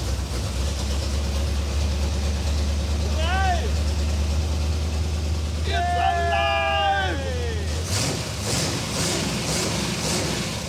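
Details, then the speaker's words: Circle-track car after fixing leaking loose fuel line at fuel filter that let mechanical fuel pump suck air instead of gas: steady even low drone running on its own for several seconds before shut-off; normal running. "alive Victory [Music] dude solid and it shuts off"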